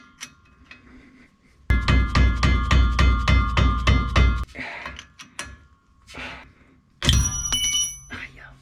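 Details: 1946 Chevy pickup, drive shaft in neutral, rocked by hand: sharp metallic clunks about three to four a second, a loose knock pointing to play in the universal joint, to be replaced; driveshaft clunk, suspected not confirmed.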